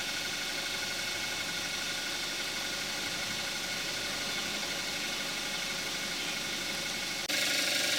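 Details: 2014 Kia Forte5 2.0 GDI, 41,000 miles, synthetic Amsoil 5W-30, cold start then idling with hood closed, recorded on camcorder's built-in mic: muffled steady idle with light even injector ticking about four per second; normal idle.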